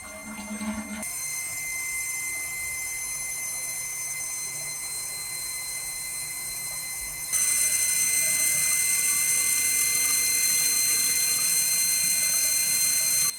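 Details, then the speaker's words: Original early-1990s upstairs toilet, refilling after flush: steady high hissing whistle that suddenly grows louder midway, owner says air gets through the old fill valve as water pumps through; worn noisy fill valve, to be replaced with a Korky fill valve. "anyway it's the fill valve it's old it's the old toilet my house was built in the early 90s this is the original toilet upstairs and the fill valve you can just sell see air is getting through somewhere on it when the water is popping through it pumping through it so that's what's making that noise"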